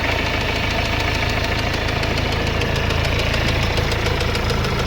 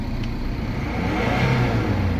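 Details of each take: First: Mercedes-Benz CLS W218 engine: loud, steady metallic knocking that rises with revs, though the engine oil looks almost new; a rod bearing knock, suspected major engine work. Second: Mercedes-Benz CLS W218 petrol engine revving smoothly with a steady, even note and no knocking after repair of a knock that rose with throttle; engine temperature okay: normal revving.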